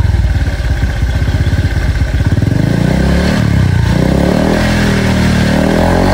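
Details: Honda Vario scooter with AHM Malaysia exhaust, previously noisy, after replacing the muffler glasswool packing; revs from a choppy idle into a smooth, deep, rounded drone with no rasp or rattle, healthy.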